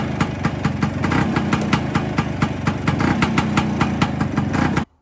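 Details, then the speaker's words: Vespa with Cosa clutch after fitting CR80-style friction plates to cure clutch drag, warmed up, in first gear with the clutch pulled in: the two-stroke idles at a fast, even beat and holds revs without stalling. Normal idle in gear. "One of the last tests is going to be fire it up sitting on the bike, click it into first gear, and hopefully it'll hold the revs. It won't drag the clutch and try and pull forward or anything."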